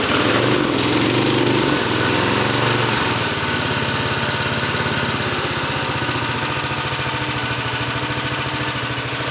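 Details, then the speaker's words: Brand-new 1979 Norlett lawnmower, never fuelled or started in 46 years, first start: steady, even putter with a light rattle from fins underneath; engine runs healthy. "That noise is just the the weird little fins down under here. All right, it runs."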